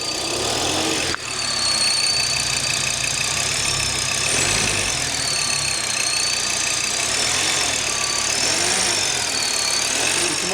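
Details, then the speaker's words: Audi TT RS 2.5-litre five-cylinder petrol at idle: high, wavering whistle over a steady idle, heard on the inlet side and traced to the vacuum pump; salvage car, no engine light. "his main complaint is when it's idling it's making like a whistling noise so it's making a noise on the inlet"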